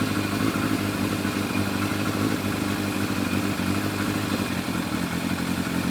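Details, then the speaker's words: Yamaha FZR1000 four-cylinder with rebuilt carburetors after Digi Sync balancing, revs turned back down: smooth steady idle with an even beat, no hunting or stumbling; readings 58–60, within 2. "Running a lot smoother now."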